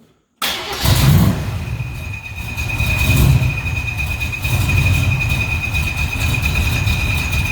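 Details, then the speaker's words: 1979 Jeep CJ5 with built 304 V8 and MSD ignition, cold start after new clutch; lumpy idle with a loud steady howl that comes and goes, from a brand-new but defective throw-out bearing. "we put a new clutch in this thing and the throw out bearing uh brand new but defective so you might hear a little bit of noise and that's going to be that"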